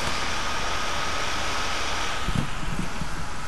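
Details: HP Pavilion G series laptop after system fan 90B error fix: steady, even whoosh of air with a faint fixed whine, no rattle or grind; fan running normally.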